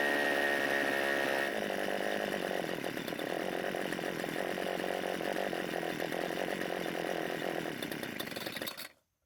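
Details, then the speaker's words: Old Homelite two-stroke string trimmer with fuel leaking from the carb and the spark plug re-gapped. Ragged, uneven buzz that cuts out abruptly after less than a minute; a carb problem is suspected, given the leak and an extreme adjustment setting. "So it did start and run, but it didn't stay that way for more than a minute before it stopped."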